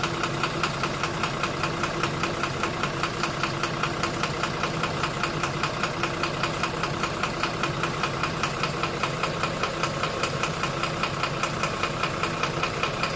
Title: 12-M FE Engine Knocking Problem | Step by Step Guide